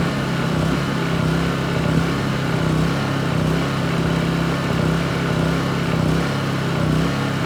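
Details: Honda EU2200i inverter generator, brand new just unboxed, running during a fuel-shutoff test: even steady hum, smooth low drone, no misses or surges; running cleanly.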